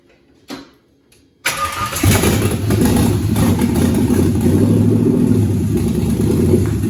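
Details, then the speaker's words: LS-swapped 41-year-old vehicle with a 36,000-mile all-aluminum LS V8, once it gets fuel: a few quiet cranks, then it fires right up and settles into a steady, even idle with no misses. Normal start. "Nice. Alright, it's That started. fired right up."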